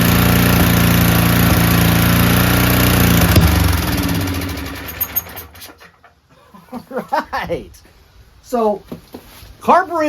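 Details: Powerback 5000 W generator with a Tecumseh engine, before repair and started with ether. A rough chug on choke that sags and dies as the choke is opened fully. Owner suspects a somewhat dirty carburetor, possibly bad gas.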